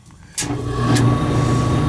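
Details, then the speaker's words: Gas furnace replacement blower motor after wires were swapped to correct reversed rotation: motor kicks on and settles to a steady hum with faint whine, now pulling air; tech suspects it had been off on high limit before because of the wrong rotation; normal operation. "see it's spinning and blowing up see now it's pulling air before it wasn't"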